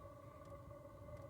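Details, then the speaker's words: Diesel heater with cast iron heat exchanger, on a morning after the first night in the 30s °F: a quiet, steady low hum and even purr from the exhaust exiting underneath, with no knocks or surges; running normally. "It exits the exhaust through the bottom down here if you hear it purring away."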